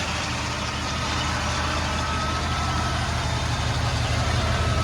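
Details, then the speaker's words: Mercedes W126/W140 idling with A/C on and fresh oil change; low, even idle with a steady beat, no misses or ticking, smooth and healthy; normal idle. "I did an oil change this weekend too the engine is running nice and smooth"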